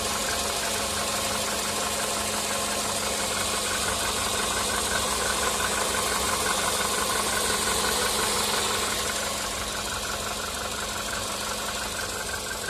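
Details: VW Polo Sedan CFNA engine warming up from cold on firmware 9970: a steady metallic tapping of about three knocks a second over the engine hum; piston slap, which on 9970 turns strong at the 5th minute of warm-up, versus the 2nd minute on firmware 8252.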